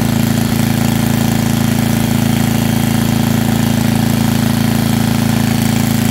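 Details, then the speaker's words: Estate-sale generator, likely under 20 years old, after a tune-up that flushed fuel at least five years old and dark brown, took apart the carburetor and put in new oil: a steady, even drone with a smooth regular beat, no misses, knocks or surging. Normal running. "i took apart the carburetor and it runs now pretty nicely definitely worth the money it puts out power"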